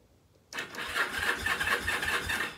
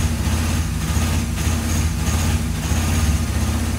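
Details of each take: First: Free, long-neglected rusty Kawasaki KZ750: starter spins the engine at an even rhythmic chug for two seconds but it never fires; no spark at the ignition points. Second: Free, rusty Kawasaki KZ750 revived after sitting: steady, low, even four-cylinder idle with a brief horn toot midway, holding a smooth, regular beat; it doesn't sound bad.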